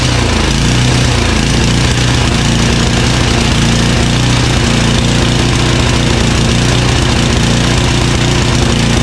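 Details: Craftsman 9HP Tecumseh 29" snowblower after partial carburetor cleaning: single-cylinder idle hunting up and down early then settling; surges less often than before, still surging; pilot jet suspected, maybe bad gas.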